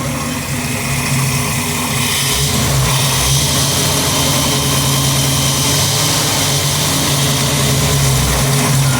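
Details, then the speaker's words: 1955 GMC truck Pontiac V8 after intake manifold change and new fan belt, heard at the front: smooth even idle with steady low burble, no ticking or puffing; exhaust leak gone. "She started right up the first time. Pretty quiet out here in the front."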